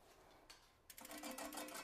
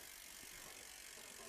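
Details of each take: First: eBike hydraulic disc brake, wheel spun by hand during caliper alignment: faint quick run of scraping ticks repeating at one spot; rotor slightly bent, fixed by bending it with a rotor tool. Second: eBike hydraulic disc brake after centering the caliper and straightening the bent rotor: quiet, quick freehub ticking as the wheel coasts freely with no pad rub or scraping; rotor runs true.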